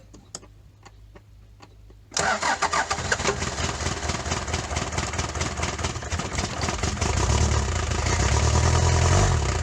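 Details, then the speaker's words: Daihatsu Fourtrak pickup, first start of the swapped engine replacing one with a blown head gasket: starter ticking, then it catches and runs steadily into a fuller idle; oil pressure confirmed, oil leaking from a loose fitting. "Let's just crank it and see what happens. Is it smoking? No. She might get going on her own, I don't know."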